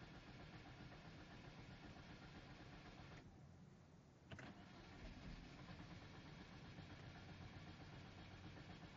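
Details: Hyundai Genesis Coupe 2.0T Track, intermittent no-start roughly every 2-3 weeks: starter cranks steadily at a few turns per second but engine never catches; crank no start.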